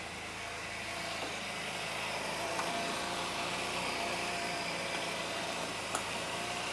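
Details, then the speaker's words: Honda Elite 80cc scooter after a carb rebuild (new o-rings, idle adjustment jet): engine buzzes fast and steady with no dips and runs well, but idle sits a little high; the intake boot still leaks. "seems to be running pretty good idle's a little high"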